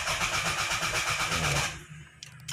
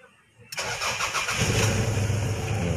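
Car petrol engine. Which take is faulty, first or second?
first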